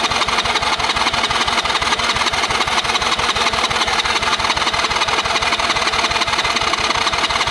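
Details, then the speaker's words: Kids' quad after sitting for years, fitted with an ignition taken from another quad, cranked with the choke on. Steady rapid cranking at about three turns per second with no firing, because the spark plug was only finger-tight and not seated. "Well, then the spark plug's not in all the way. Normally I tighten these things down, these plugs all the way, but if it's just a test fire, I will usually leave them finger tight till I get the test run over with."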